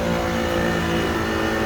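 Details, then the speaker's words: Newly replaced three-phase HVAC compressor, evacuated to about 500 microns and charged with 7 lb 8 oz of 422B: loud, harsh, steady droning hum from running in reverse rotation; fixed by swapping two supply legs. "Hear that loud noise? That means I need to reverse the polarity because it's 3-phase."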